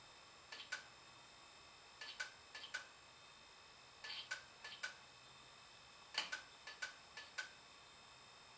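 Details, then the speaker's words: Rare Digital PC 5000 Pentium II: hard drive gives sharp light ticks in clusters every second or two and never loads; owner suspects shipping damage or cold. "that that does not sound very good at all it may have been damaged in shipping"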